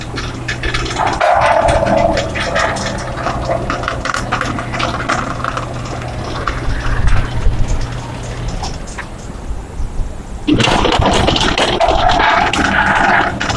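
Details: Electric gate running with rapid, uneven, violently loud clattering bangs, a short lull, then renewed knocking; gate mechanism banging, cause unclear.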